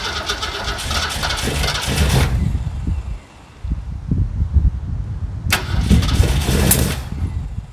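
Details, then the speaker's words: 1969 Mercury Monterey after new starter solenoid: cranks and catches briefly, then dies when key returns to run; ignition cable found chewed by rodents, spliced. "it's still not keeping um it's still not staying running when um when you let up off of it"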